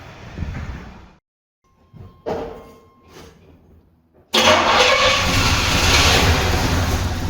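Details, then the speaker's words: Turbo Trans Am first start after years on 15–20-year-old fuel, after fixing distributor: a few weak turns then catches abruptly into a strong steady run, no popping or backfire, lots of smoke. "So you saw the car started. Surprisingly, everything was full of smoke. It was crazy, but yeah, the car runs."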